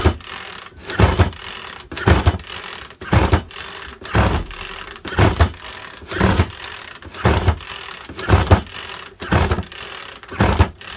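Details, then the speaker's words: Makita top-handle climbing chainsaw, fuelled, primed and choked after an ignition coil replacement, is pull-started about once a second and turns over without a single pop. There is no spark, even with a known-good plug. "not even a pop so let's get the plug out and see yeah see if anything's happening on that you so you've got no spark not more not at all"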